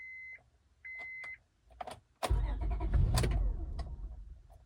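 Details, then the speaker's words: 2002 Acura MDX that keeps shutting off: the warning chime cuts out and returns with on-off relay clicks, then the engine catches and runs. The ignition switch is failing intermittently and is being replaced; the owner was unsure whether the switch or the wiring harness was at fault. "Yeah, it just keeps dying. Here, you can hear it clicking on, off, on, off."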